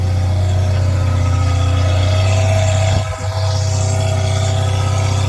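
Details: Freshly rebuilt 1999 Jeep Cherokee engine on its actual first start, beginning break-in with oil pressure about 60. A steady, smooth fast idle with an even low drone and no knocks or misses; header wrap smoking. The engine sounds healthy.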